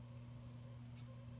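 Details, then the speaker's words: Space Invaders arcade machine, heard at the speaker: constant low mains-type hum with no game sound, no 18 V sound supply; hum stops when the slam switch is activated as if the game resets, so owner rules out the switch; audio fault cause not found. "So, it's not the switch because I can hear it. When I do activate it, it stops like the game's resetting."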